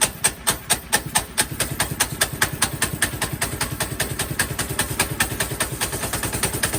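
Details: Mega Moto Max 212 mini-bike at idle before the tune-up and centrifugal clutch replacement: uneven popping putter with loping surges and sagging beats. It runs rough at idle and died whenever throttled up earlier.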